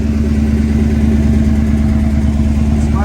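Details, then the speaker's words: 1984 Mercedes-Benz 500SEC Euro V8 with 116,000 miles, stored 10-15 years, at idle: a raw, puffing rumble about three pulses a second from exhaust leaks underneath on both sides, with a hole at the top of the passenger-side pipe. "It has an exhaust leak coming from up underneath. You can hear it."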